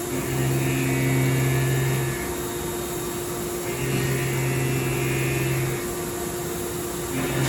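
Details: Haas Super Mini CNC mill running a program with a longer tool at conservative settings; steady motor hum with faint high-pitched cutter singing each pass, easing between passes; light chatter from the extra leverage, but an acceptable cut.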